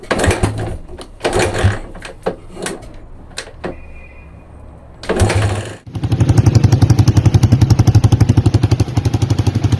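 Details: 1982 Honda XL250R single, sold as noisy, after service work and a 1.5 L oil change, kick-started: after some clatter settles into a steady, even thump with no ticking or rattle; normal idle.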